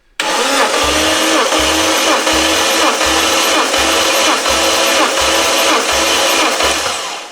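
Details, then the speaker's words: Lexus IS200 engine compression test during engine swap, plugs out, throttle body held open, dry without oil; even steady cranking, about nine strong regular compressions in seven seconds, good compression. "oh that's good that's even dry I didn't put any oil in it"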